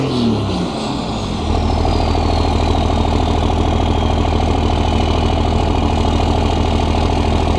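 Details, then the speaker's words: 2001 Dodge 24-valve Cummins diesel with stock intake, before fitting a Banks cold air intake: steady, even diesel clatter settling after start-up with barely any audible turbo whistle from engine or exhaust tip; healthy normal idle. "right so you guys can see we have no turbo whistle pretty much at all I mean you can hear that it's there the turbo is in a existence but you can't really hear any turbo whistle whatsoever coming from the engine or the exhaust tip"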